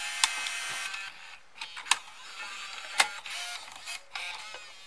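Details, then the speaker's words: Bose Wave Music System II three-disc CD changer after opening and realigning the mechanism: light whirring and crisp clicks as the disc seats and spins up, loading smoothly with no grinding or slipping; normal loading and playback. "So that's working. And it's playing. Nice."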